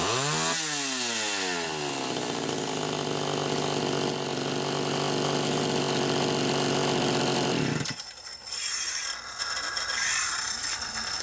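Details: Super XL Automatic chainsaw, owner complained it ran hot and smelled hot; running ethanol-free TruFuel mix. Nearly warmed up, it revs cleanly with rising pitch to a steady high scream, no bogging, no throttle lag; normal running, smell likely the mix.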